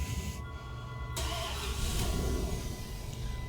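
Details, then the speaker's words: 2003 Dodge 4.7L (called both Durango and Dakota) with a brand-new engine and a crank-no-start complaint, finally starting: the engine catches but runs with an uneven, lumpy, stumbling beat. Dead cylinder misfire. "it started and it's got a dead mess but it started"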